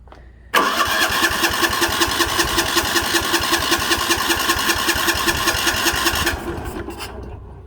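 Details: 1960s/70s Sears 10/6 lawn tractor, first start attempt: steady fast starter cranking about six seconds with even beats, never fires; later a loose spark plug wire was found.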